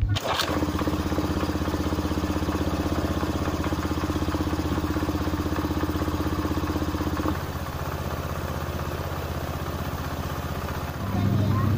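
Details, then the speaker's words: Honda Beat FI that would start then die and not accept throttle, running on an IV-tube gravity fuel feed in place of the fuel pump after plug cleaning: steady even idle, briefly dipping then recovering; runs cleanly. "sudah hidup ya mesinnya sudah hidup"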